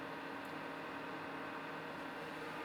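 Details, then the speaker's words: Garbage-picked Dell PowerEdge 2600 server powered on with no hard drives installed: steady, very loud rush of air with faint whine, no surges or rattles; fans running flat out normally. "sounds like an engine almost on a car, because of how loud this thing is. Could you imagine being in a room full of these computers running at the same time?"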